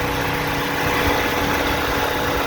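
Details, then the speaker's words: 2000-2007 Ford Focus (2.0/2.3L) after radiator and cooling fan assembly replacement, at normal temperature with max AC on: steady rush of air with no ticking or rubbing. Both radiator fans are running normally. "see that spinning and hard to tell but that one's also spinning as well so we should be good"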